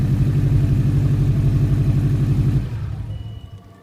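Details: Subaru on a cold morning start: a deep, regular knock about four times a second that stops after a few seconds; owner suspects piston slap or the belt tensioner, unconfirmed.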